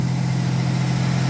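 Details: 1989 V6 Mitsubishi Pajero, first cold start after three days sitting, new stainless extractors and exhaust studs replacing stock manifold: smooth steady low idle, even pulses, no ticking or puffing; exhaust leak fixed.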